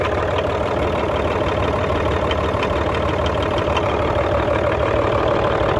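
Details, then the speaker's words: Hino J08C six-cylinder Euro diesel truck engine at idle: regular knock about three times a second coming from the air compressor side, easing when a hand is pressed on it; compressor fault, not yet inspected. "तो खैर मैं आपको बताता चलूं इसकी आवाज़ जो है कंप्रेसर की तरफ से ए रही है ठीक है"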